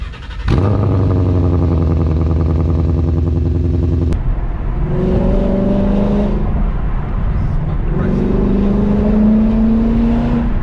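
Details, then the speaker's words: 2016 Ford Mustang GT V8 with headers, full exhaust and no cats, before cats were installed: harsh crackling bark on throttle blips and a loud raspy drone at idle. Exhaust is too loud and raw. "This thing has headers, it has a full exhaust, and not much muffling going on, including it's currently catless. And the volume is just too high."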